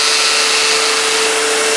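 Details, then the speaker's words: Newly finished homemade belt grinder running at no load: loud, steady high-pitched hiss and whir with a constant tone, noisier than expected; owner suspects the cheap bearings may not be perfect. "It's noisier than I expected. I don't know, maybe some of the bearings aren't perfect. They were cheap bearings,"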